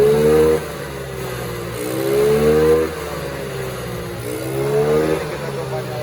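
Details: Yamaha Mio Sporty, sat dead for two years, original engine, started with a rope after carburetor cleaning (old fuel had turned to thinner, leaking fuel complaint): blipped up and down a few times, revving cleanly back to steady idle; runs normally.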